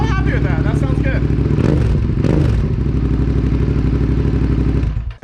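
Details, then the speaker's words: Suzuki SV650 twin during restoration, test start after fitting new exhaust and springs replacing a straight pipe: deep, even burble with steady beat, no misses or rattles, much quieter than before; running cleanly. "That sounds a lot better. Not as ridiculous. The other exhaust was way louder."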